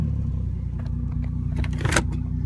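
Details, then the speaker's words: Turbo SC300, idling after a drive: an even, low engine pulse with no ticking or knocking and some light rattle nearby. A suspected rod knock turned out to be the neighbouring car; normal idle. "Alright, engine sounds good. Doesn't sound like it's a knock or anything."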